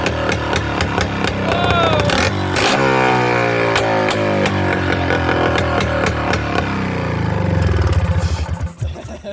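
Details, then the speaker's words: Kawasaki 440cc two-stroke snowmobile engine swapped into a Polaris Trail Boss 250 four-wheeler, first startup on a straight pipe: loud crackling rasp rising and falling with throttle, firing evenly; engine visibly wiggling in its mount; healthy running. "that's sounds that sounded really good I don't like how much the engine was wiggling around but you got to deal with it why do two strokes sound so gosh darn good straight piped"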